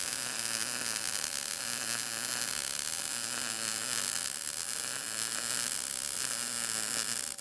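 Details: Arccaptain MIG200 inverter MIG welder on an inside corner joint, retried at 19 V and 153 after the previous setting gave the bacon-frying sound but seemed slightly cold; steady, even crackling sizzle with no pops or sputter; judged not too bad.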